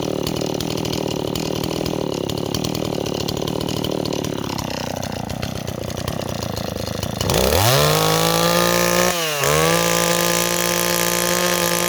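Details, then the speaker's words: Stihl 026 chainsaw running a little rich at idle: burbling, uneven blubbering idle that loads up on fuel, then a rising rev that clears up; saw loads up after idling. "okay neighbors our sauce running a little rich but the problem is it Bob's in wood so should we take a walk and find some wood to cut neighbors as our saw loads up you hear that that's the saw loading up on fuel"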